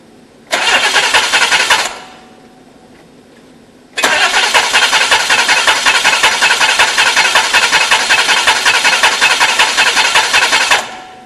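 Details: DeLorean with the aluminium intake hot: catches, stalls, then restarts and runs with an uneven pulsing beat of about 160 a minute. There is a huge intake vacuum leak; the bolt has to be tight to seal, and a new bolt is needed.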